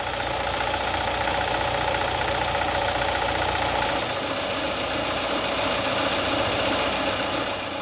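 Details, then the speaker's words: Petrol engine at idle, heard from above: hollow, regular slapping knock about three to four a second from piston slap, excessive clearance between cylinder wall and piston skirt. "when there's too much clearance between the two you get a resounding slap but let's listen to the actual engine noise"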